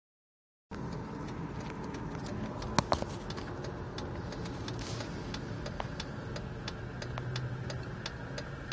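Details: Jeep at idle: uneven pulses with scattered ticks and rattles instead of a smooth beat. Rough idle, cause not evident.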